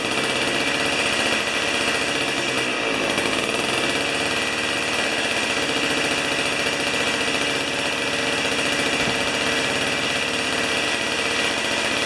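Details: Old two-stroke snow thrower (not self-propelled), long stored outdoors, restarted on choke with 40:1 premix after years sitting: even, high-pitched buzzing drone, steady without misses or surging; running cleanly.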